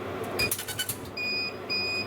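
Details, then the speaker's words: Laser engraver at 12 mm gap, 2 mm beyond the manufacturer's focal point; sharp, clean, crisp high-pitched pulses indicating correct focus, giving crisp engraved dots. "was even crisper and sure enough that looks pretty damn good"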